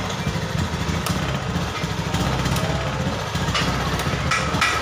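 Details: Honda Beat eSP with a choppy, stumbling misfire that breaks up badly and stalls when the throttle is opened. The TPS reads 38, beyond tolerance, yet the MIL shows no fault blink. The owner suspects TPS, fuel pump pressure or a clogged injector; the cause is unconfirmed.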